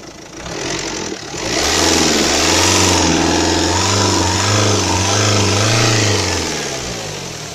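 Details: Renault Kangoo K9K 702 diesel, fully warmed up after at least 10 minutes at 2000 rpm: a raspy, puffing hiss like a cracked muffler, seeming to come from the EGR area; exhaust checked from manifold to muffler, no cracks found.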